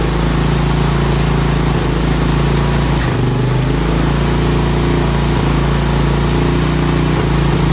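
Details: 1987 Honda TRX200SX ATV single-cylinder engine after carb cleaning and fresh fuel, cold weather: even, low, steady thump holding speed without stumbling; healthy idle.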